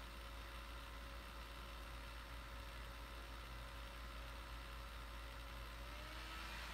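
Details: Laptop cooling fan running loud: steady airy whoosh with a thin, even hum, pitch dipping slightly near the end; owner suspects dirt built up in the fan from never cleaning, not confirmed.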